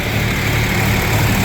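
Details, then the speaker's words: John Deere 4430 tractor (grandpa's) diesel after servicing, started after cranking with fuel shutoff pulled to build oil pressure; steady, even idle with low smooth rumble, no knocks or misses, A/C compressor running, cold air, readings about perfect; normal idle. "Let's get out and see if the uh compressor is running. Yeah, she's running for today."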